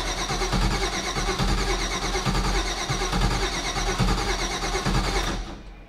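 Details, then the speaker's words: Supercharged Mazda FD RX-7 rotary on a FuelTech FT550 standalone ECU: the starter cranks steadily for about five seconds but never catches. The ECU's switched power source drops out while cranking, so it cranks but won't start. "Whatever you have that the switch power source to goes away when you're spinning it over."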